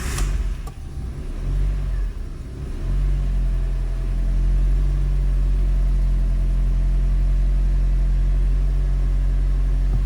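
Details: Fiat 500 1.4 16v four-cylinder, previously misfiring on cylinders 1-4 (P0301-P0304) with limp mode, after replacing coils and spark plugs: cranks, catches and flares, then settles within seconds into a steady, even idle; normal start.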